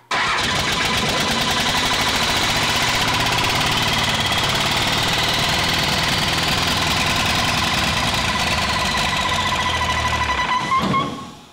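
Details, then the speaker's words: 5.9 Cummins 12v diesel in Studebaker Transtar just after first start, dirty old diesel in injection pump despite new fuel and conditioner: steady, even tractor-like clatter; healthy diesel idle. "sounds like a tractor it does that's nasty stuff"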